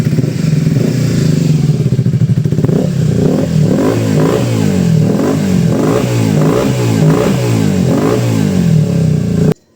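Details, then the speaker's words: Honda VTZ250 MC15 250cc twin after carb sync and rejet from 35 to 38 slow jet, fixing a lean mixture and hanging revs; it revs up and drops back cleanly with no hanging revs or stumble. Still needs slight tuning. Normal running and revving. "Konting tune pa pero at least kahit papaano maganda-ganda na yung tunog."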